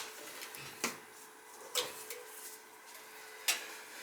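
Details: Old gas boiler, about 20 years, clicking with no heat: sharp, uneven clicks about one to two seconds apart with no burner roar. The smart valve or relay was suspected and 25 volts was seen dropping out, with the gas valve then suspected.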